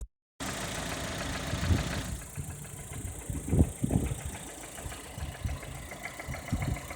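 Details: Lada Kalina Cross petrol engine, warm, idling quietly with occasional dull, unevenly spaced thumps under the hum; the source of the knock is not yet clear: engine knock at idle.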